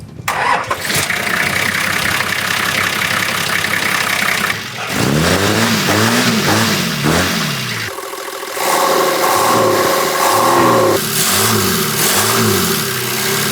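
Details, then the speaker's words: Patrol after about 50,000 km, following a $30 DIY intake muffler mod for induction noise: engine starts and revs cleanly with a dull, muffled intake roar, meatier and more controlled; induction noise greatly reduced. "It's just dulled the induction noise down. It muffles it down a lot. So, it's much nicer to drive."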